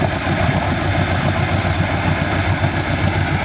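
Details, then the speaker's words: 2017 Mercury 90hp Command Thrust four-stroke outboard after IAC valve replacement to cure a 6-beep alarm. A steady low idle with a slight uneven shake; much better than before, and the fuel is suspected to need cleaner. "I got a couple little pieces I need to put on there but yeah nice and smooth still Shake shakes shakes a little bit"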